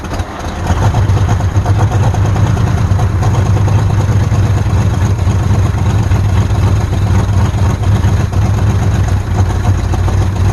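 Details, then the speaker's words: Abandoned 1948 Ford F5 bus, first run after sitting 25 years: low, steady idle with a slightly uneven beat; needs tune-up, carburetor rebuild, linkages and throttle linkage hooked up, full overhaul planned. "Of course, we're gonna need to do a tune-up on it, rebuild that carburetor, get the linkages and throttle linkage hooked up. Yeah, but she runs."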